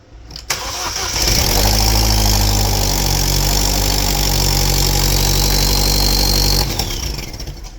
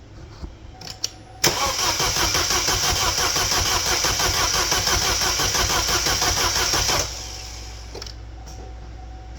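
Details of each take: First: 2012 Chevrolet Cruze 1.4L turbo after head gasket replacement, first start before adding coolant: cranks briefly, catches cleanly and settles into a smooth, even idle with no misfires; burning off oil smoke. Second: 2012 Chevrolet Cruze 1.4L turbo just reassembled after a head gasket job, no coolant yet: starter spins the engine evenly about three beats per second for five seconds but it never catches because the fuel injectors were left unplugged; crank, no start.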